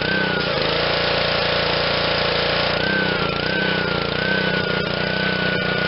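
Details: Honda GCV160 on Black Max 2600 psi pressure washer, after carb cleaning and fresh fuel, cold start: steady, even drone at constant speed without surging or sputtering; running clean and healthy.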